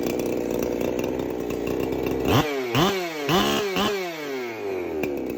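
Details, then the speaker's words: Rebuilt Husqvarna 372XP chainsaw, new coil cable, muffler not yet welded, no bar and chain fitted: crisp two-stroke revs blipping up and dropping back cleanly between steady idle; the loose pipe blew out on startup. Normal running. "She runs, started right up."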